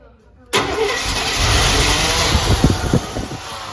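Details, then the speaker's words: 1988 GMC Jimmy K5 4x4 with throttle-body-injected 5.7 350 and overdrive automatic, parked 10 years, running on old fuel. Starter cranks, then the V8 catches with a roar and keeps running roughly. Clogged injectors were the cause of the no-start. "Oh, it's gonna run. It is gonna run. That's what it was. Oh, wow. The injectors were clogged up."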